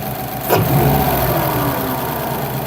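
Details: 2008–2014 Subaru WRX with a new Cobb intake (post-MAF, no tune), heard from inside the car: it catches quickly, revs cleanly, then drops to a smooth, steady idle with no misfire or rattle; normal.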